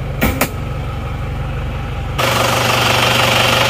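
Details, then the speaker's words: Isuzu Panther diesel just after engine repair, first start. Even diesel clatter at idle, about four beats per second, with no misses or stumbles. Normal, smooth idle. "suaranya seperti ini suara mesin seperti ini rata ya"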